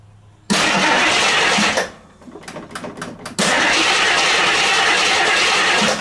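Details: 1969 AMC Javelin, 290 V8 with old fuel and a carburetor accelerator-pump fuel leak: starts, runs briefly, dies, cranks several times, then catches loud and ragged; misfire from loose spark plugs, later found loose.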